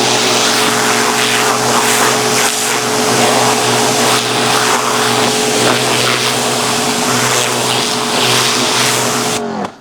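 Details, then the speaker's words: Kolner KHPW 2700IFR electric pressure washer with rotary dirt-blaster nozzle rinsing a mat: loud steady water hiss over an even motor hum, cutting off cleanly; quiet, spraying normally. "Это, получается, грязевая фреза стоит. Я думаю, слышно, надеюсь, что слышно. Мойка не шумная."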